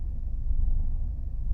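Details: 2002 Mercedes W210 220 CDI diesel: an intermittent rough idle with a low rumble that surges and dips unevenly, mostly from cold; smooth through the revs with no power loss or smoke, and unchanged with the MAF unplugged; cause unknown.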